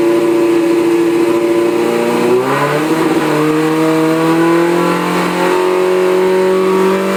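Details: 2003 Suzuki GSXR idling then blipped after tank swap and HID/LED changes, FI light with C24–C27 codes; note stumbles and wavers as revs rise, misfiring despite new coil sticks, plugs and ECU; crank sensor gap reset helped only a day.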